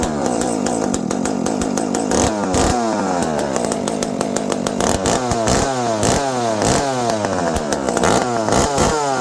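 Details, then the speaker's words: Dolmar 7300 chainsaw fitted with a Husqvarna 266 Bearclaw exhaust pipe replacing the restrictive stock muffler: crisp two-stroke revs up and drops back cleanly while cutting; normal, good-running saw. "Oh, that's good. This is a good running saw. I know why guys like these. They're good saws."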